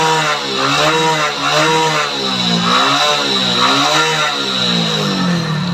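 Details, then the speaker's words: Motorcycle engine noisy at about 25,000 km, consuming oil, held at full throttle showing only very light white smoke: harsh, buzzy roar with wavering pitch and rough edge, pointing to a worn motor. "तो बहुत ही मतलब हल्का धुआं दे रहा है पूरा full accelerator लेने के बाद भी।"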